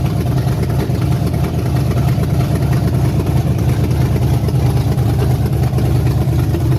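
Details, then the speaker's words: Chevy Silverado 5.3 V8 after bent-rod repair with an aftermarket BTR/Summit performance cam, first start with alternator off: deep, lumpy, steady loping idle with no knocks or ticks; the choppy beat comes from the cam. "you want to start it up and let it run a second I hear the cam you can hear it"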